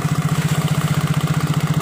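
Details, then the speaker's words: Yamaha Mio J scooter idling with a hard, even knock about fifteen beats a second ("klotok"), said not to be the one-way gear; spark plug wobbles when pressed, suspected loosely fitted plug, not yet confirmed. "ini bisa jadi pemasangan lucunya ini kurang kurang kenceng oleh mengakibatkan bunyi seperti klotrok nah dan ini goyang"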